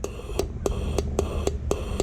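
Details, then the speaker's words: 2009 Cummins 6.7 diesel injector, installed in head, air pressure applied and energized: sharp even solenoid clicks about four per second over escaping-air hiss, mist visible; injector fires cleanly and works. "so it's definitely working you can hear the solenoid going you can hear the air pressure coming out"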